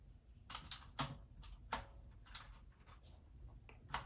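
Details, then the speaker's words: New Corsair K70 RGB Pro with Cherry MX Blue clicky switches and PBT keycaps, in a quiet bathroom: sharp, crisp clicks at each press, about two a second; healthy switches. "These are clicky switches, as you know. They make a loud click noise when you press it."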